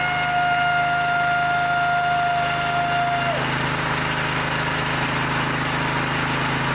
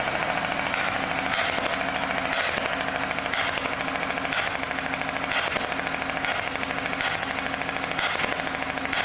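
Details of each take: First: Twin-cylinder mower engine just reassembled after replacing a head damaged by a mouse nest: a steady, even putter with a light metallic rattle from loose muffler baffles, plus oil burning off as smoke; normal running. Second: Mower engine before its repair, with a push rod dislodged after a mouse nest jammed the guide: uneven, lumpy running with an irregular thump about once a second, like a hit-and-miss engine, one cylinder dead while the other push rod still works its valve.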